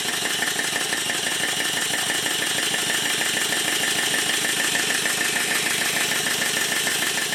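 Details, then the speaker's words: Southworth duplex boiler feed pump run on compressed air for the first time after steam oil was injected at the inlet, pumping only air; steady chuffing with a wet, sputtering hiss as excess oil is blown out the exhaust. "at first when the engine starts it sounds a bit strange that's because of the amount of steam oil that's now pouring out of the exhaust"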